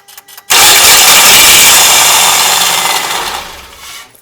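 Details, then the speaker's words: 2.4L Mitsubishi 4B12 in a ZH Outlander, microphone under the car, out of gear: a harsh knock or bang as the starter engages, then rough cranking, like the starter jumping a tooth; cracked starter motor housing. "you can definitely hear when it starts up, it's making a bit of a, it sounds like it's jumping a tooth on the starter."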